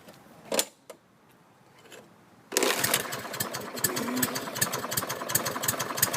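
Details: Used Lawn-Boy 6.5 all-wheel-drive self-propelled mower, scrapper drop-off, started in daylight check: a few clicks, then catches at once and settles into an even, crisp putter with no misfires. Runs normally; oil change, blade and air filter planned.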